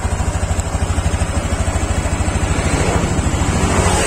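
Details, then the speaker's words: Honda Beat Deluxe 2023 after eight months of use, engine revved: quick even klek-klek clicking from the CVT rises with throttle; not con-rod or crankshaft but loose roller sliders, CVT must be opened and checked. "Nah, oke, suaranya ini tadi kayak klek klek klek klek, itu sebenarnya enggak stang shaker atau enggak kruk as. Jadi kalau suara klek klek klek seperti itu, Anda wajib bongkar bagian CVT dan wajib ngecek tutup rollernya."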